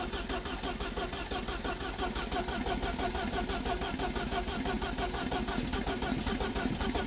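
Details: Freshly rebuilt Vauxhall Corsa B C20XE on first start, no ECU, distributor and carbs, with a noisy starter: cranks steadily but won't fire. Fuel is present; owner suspects the carbs need rebuilding.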